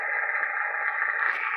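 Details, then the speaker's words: FT-101EX receiver with five-band vertical in high-noise area: constant hissing, crackling band noise across the voice range with the noise limiter off; switching it in drops noise from about S9 to S3. "i just uh haven't gone through the steps yet but but there it is with the pro with the noise limiter off"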